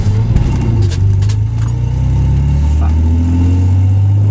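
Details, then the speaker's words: Z car driving over bumps and turns, alternator recently fixed: low road rumble with sharp clattering knocks from two toolboxes and loose spare bolts shifting in the trunk, not the car. "Have two toolboxes in my trunk, as well as a bunch of spare miscellaneous bolts lying around. What you're hearing is all that shifting when I hit a bump or take a turn."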